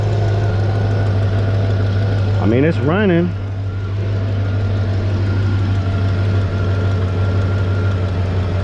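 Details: LT1 Caprice 9C1 V8 after water pump and stock Optispark replacement and radiator hoses: catches and settles to steady firm low idle with no knocks or stumble; earlier hesitating, skipping misses now gone, normal idle.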